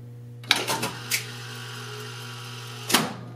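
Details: 1970 Wurlitzer 3400-series jukebox selecting record C1: quiet mains hum, short mechanical whirr, light click, more whirr and solid clunk as it stops; selector cycling normally.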